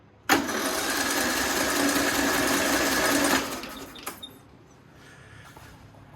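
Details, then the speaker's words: Toro Z420 Timecutter after an engine swap, cranked with the spark plug out and fuel not connected: about three seconds of brisk, even starter cranking with no drag or clatter. Normal cranking, engine turns freely. "Well, she'll crank. I mean, I know she'll run."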